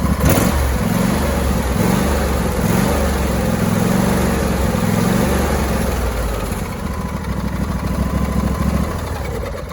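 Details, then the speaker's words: Husqvarna YTA24V48 tractor with Briggs & Stratton Intek 24 and single-barrel carburetor, revved: at higher revs the engine note rises and falls in uneven waves instead of holding steady; engine hunting at high rpm. "can hear it hunting at the higher revs and normally what happens on these is these things have the infamous usually the infamous two barrel carburetor on it"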